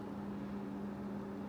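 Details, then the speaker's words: Gaming PC with new CPU cooler under load, after replacing hardened cheap thermal paste: only a faint, steady low hum with no rattle or whine; running quietly and smoothly. "yep some good old el cheapo thermal paste yep damn can you use that it's so quiet it's beautiful"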